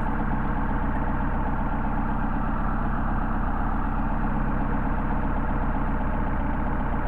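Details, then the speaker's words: Mercedes 190SL with Solex carburetors on test, petrol engine idling with slightly uneven, lumpy beat as the second carburetor's idle mixture screw is turned past its best point, then backed out. "same thing over here with the carburetor once again you can hear the idle degrading and back it out"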